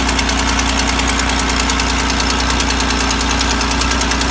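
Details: 3800 L67 at idle: fast even ticking about three per second over a steady idle, an exhaust leak, likely at the manifold.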